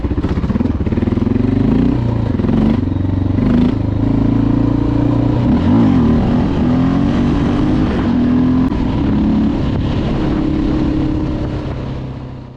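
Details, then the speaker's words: Honda XR650L started cold on choke after a camshaft swap that removed the sticking decompressor, which had caused clicking: a steady, even single-cylinder idle with no top-end ticking and a light bottom-end gear whir, believed to be the crankshaft gear, normal when cold. "oh well doesn't that sound beautiful this noise down here goes away all these bikes make you when they're cold that's uh i believe the crankshaft gear is down there making some"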